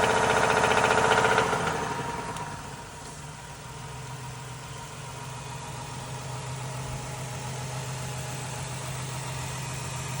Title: Can you tell what the problem is with this engine? ￼#knocking #ping #jacked #blownup #trash